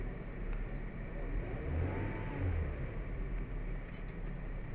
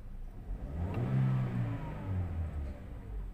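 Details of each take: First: 2017 Toyota Vios 1NR engine revving: uneven climb with jerky hesitation, also felt as jerking in first gear; scanner shows misfire counts on cylinder 3, traced to a failed ignition coil. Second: 2017 Toyota Vios 1NR engine, after replacing the cylinder 3 ignition coil, accelerating while checked on a scanner: revs climb cleanly and evenly with no stumble or hesitation; smooth acceleration, first-gear jerking gone.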